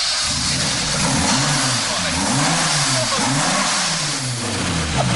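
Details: Lotus-rebuilt old Lada, engine uprated from 35 to 180 bhp, revved repeatedly: loud raspy blips, pitch climbing and falling cleanly with no misses; strong, healthy engine.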